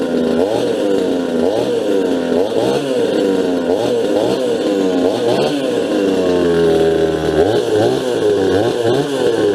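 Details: Farmertec Huztl MS250 chainsaw, first start after final assembly with opened-up muffler: crisp two-stroke buzz rising and falling cleanly with each throttle blip, no misfire or bogging; normal running.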